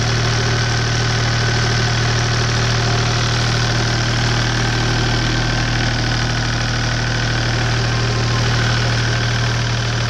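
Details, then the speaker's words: Deutz 2009L03 three-cylinder direct-injected, non-turbo diesel of about 36–37 hp on a cold start: smooth, even diesel clatter at a steady idle with no misfire or heavy knock. It runs normally. "so it seems to run pretty good in a second video I'll post it running and showing that it sounds good when it's warm"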